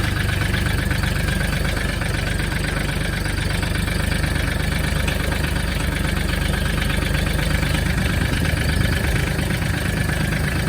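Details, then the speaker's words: Mahindra Max 26 diesel tractor after sitting, cold start with throttle fully down and glow plug on for about 10 seconds: fires right away, light goes out, steady even diesel clatter at idle with no stumbles or hunting; normal cold-start idle. "There you go. Fired up right away. Light went out. We're good to go."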